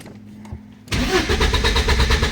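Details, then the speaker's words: 1986 Porsche 944 Turbo with a no-start problem: the starter churns at a steady quick rhythm but the engine never fires. No injector pulse was seen on a test lamp; sensors had been removed and refitted. "смотрите, не заводится."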